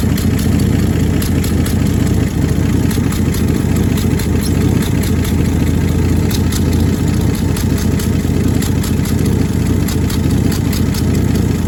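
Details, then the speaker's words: 1966 Dodge Dart GT, 225 Slant Six inline six, rough uneven idle with crisp ticking and puffing on top; exhaust leak believed between exhaust and intake manifolds, EGR leak doubted, new part on order. "Well, it's coming from what I believe now is between the uh exhaust manifold and the intake manifold."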